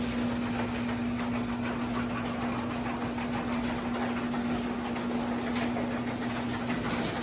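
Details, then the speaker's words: Holzfforma Farmertec 372 kit chainsaw, two-stroke, fired up in the cold with a carb that needed retuning every start; fast buzzing idle, slightly uneven underneath, boggier than the day before, low-speed carb adjustment needed; owner suspects cold: rough idle. "That carb needs to be adjusted on the low side. It wasn't as boggy yesterday."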